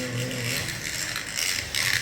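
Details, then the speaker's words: Digital slot car (Viper) lapping an oval track: a raspy, rubbery buzzing rattle rides over the motor, louder under power, like a rubber band; suspected gear noise, possibly needing oil or alignment. "some kind of gear noise this quick it's driving fast wants to wipe out on that turn but it has that horrible noise"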